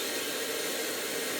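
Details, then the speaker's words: Numatic PPR370 commercial vacuum (2022): steady, even rush of air with no pulsing, rattling or pitch change; airflow measured 19 mph (about 8 m/s), normal suction. "Yeah, 18, 19. Perfect. 19, that's miles an hour."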